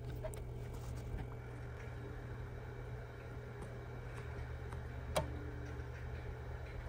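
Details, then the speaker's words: Reference PTZ camera with a working IR cut filter, IR switched by taping over the photo sensor: over a steady low electrical hum, a single small sharp click as the filter switches. Normal IR cut filter click. "you hear that there's a little bit of click there I just took off the tape for that click hopefully it's a very audible click when the IRS turn on um and if there's a proper functioning IR cut filter you'll hear that click happen"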